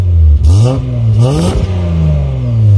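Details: Mazda MX-3 V6 with a new $50 RockAuto replacement muffler: two quick throttle blips rising and falling cleanly over a deep, even idle. Smooth exhaust with no rattles or leaks.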